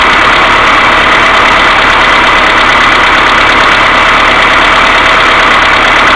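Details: Mercedes A-Class W168 1.6 petrol, cold engine idling without throttle: fast light steady ticking over a hissy top end, plus continuous hum from timing chain hydraulic tensioner needing cleaning or replacement; knock fixed by replacing hydraulic valve lifters.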